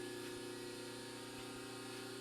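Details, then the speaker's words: Newly wired Roto-Phase model M rotary 3-phase converter on the floor, switched on by the green button to power a ZX7550WA milling machine: steady even electrical hum, low drone and constant mid tone, no knocks; converter running normally. "So if we hit the green button here, that's going to activate the converter. You hear the converter's on now."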